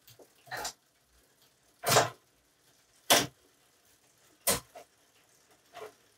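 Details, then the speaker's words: Bicycle in a stand, no load, cranked by hand while shifting through the gears: crisp clean click at each shift about once a second, no grinding or chatter, smooth derailleur shifting. "so that was pretty smooth"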